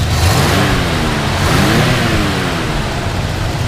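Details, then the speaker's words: 1972 Chevrolet Chevelle SS 350 V8 after a tune-up, cold day, revved under the open hood: a deep, even burble that climbs and falls smoothly with each blip, no knocks, misses or smoke; engine sounds healthy. "you know it sounds sounds good and uh we also did a tune up and stuff on it here it doesn't blow smoke or anything like that"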